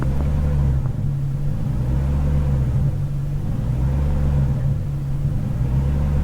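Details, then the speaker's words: BMW E39 540i 4.4 V8 at low rpm with steady pedal: idle rumble surges in slow waves about every two seconds as throttle valve position wanders 1.9–2.35%, traced to a faulty throttle body. "I'm holding the throttle steady but the throttle valve position is moving"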